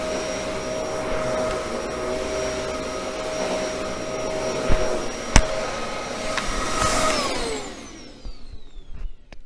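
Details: Bissell 1306 Multi-Cyclonic swivel upright vacuum after cleaning-out maintenance: strong, even motor whine with a steady high tone and a few bumps from pushing it around, then it winds down; motor running better, healthy suction.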